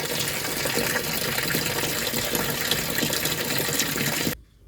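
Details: Sharp ES-TW70BL twin-tub semi-automatic washing machine, under a year old, won't hold water during wash: steady gushing flow keeps running then cuts off abruptly; drain valve not sealing, technician suggests tightening the spring.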